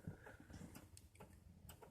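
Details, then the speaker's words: Ford 7.3/6.9 IDI diesel truck with electric fuel pump and a cold-weather glow plug override, started by push button, cold start: sharp glow plug relay clicks every quarter to half second before it rumbles to life; normal. "you hear those Gulf plugs they're clicking so oh she rumbled"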